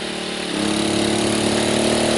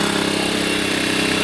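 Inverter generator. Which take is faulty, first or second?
first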